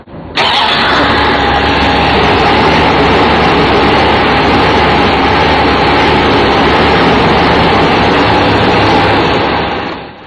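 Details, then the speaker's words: 1984 Chrysler Fifth Avenue engine when cold runs loud and steady at a full 1600 rpm until the lean burn system judges it warm; a smack drops it to a smooth 800 rpm before it climbs back. "If this sounds loud to you, that's because it is. the engine is actually running at a full 1600 RPM, which it does until the lean burn system decides it's warmed up enough"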